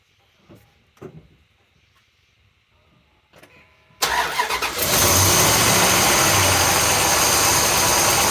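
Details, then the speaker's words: Mopar on a cold start: it catches, then idles steadily with a faint rhythmic chug near three per second; a minor, long-standing exhaust leak, suspected and being traced with a hose, alongside a separate tick. "there's a chugging noise tells me there's an exhaust leap it's pretty minor and it's been going on ever since we've had it"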